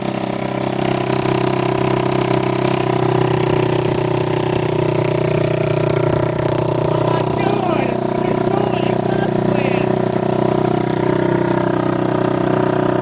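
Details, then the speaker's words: 1987 Kawasaki Mojave 250 ATV, first start after long sitting: loud raspy single-cylinder chuffing at fast idle, blatting like a tractor; exhaust header flange found missing or loose, leaking exhaust. "there's no flange come here look at this get your light no wonder it sounds like a tractor"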